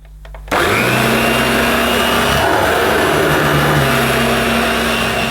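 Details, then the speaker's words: New Dirt Devil Broomy Broom Vac 750 upright (325 W, 50 Hz) with a new belt and bag, bag inflating well, on carpet. After switch-on the motor settles into a steady, even whir with constant pitch and no rattle or strain, normal running. "the bag the bag blows up nicely let's hope the clean itself doesn't blow up yeah that's pretty good I'll give it a push"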